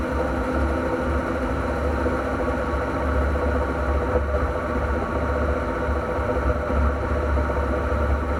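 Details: NP231J transfer case: steady low drone with a faint whir over it; a noisy transfer case, cause unknown until teardown.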